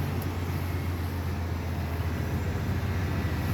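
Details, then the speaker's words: 1995 Cadillac Fleetwood, idle right after starting on the first turn following replacement of the fuel pump, pressure regulator and filter that fixed hard starting: smooth, steady low idle with no stumble, misfire or ticking. Normal. "It's exactly how it's supposed to start up. And that's exactly the way it used to start up many years ago."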